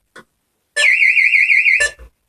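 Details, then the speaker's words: Burglar alarm system in test mode, external bell box siren heard through open window: loud high warbling siren tone held steady; sounder working properly. "let's leave the window open so you can hear the sound it is quite loud so"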